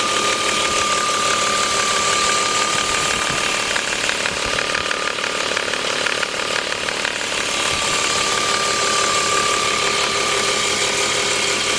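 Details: BMW 325is idling six-cylinder: thin, steady high-pitched whine over mechanical clatter, ultimately traced to two faulty remanufactured alternators.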